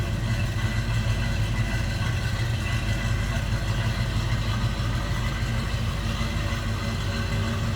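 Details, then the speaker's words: 1955 Chevrolet 3100 stepside street rod, restored three years ago, 350 small block V8 with a mild cam, idling shortly after a cold start: deep, steady idle with a slight lumpy lope, no knocks or misses; normal idle. "good sounding truck little Rumble coming out of that"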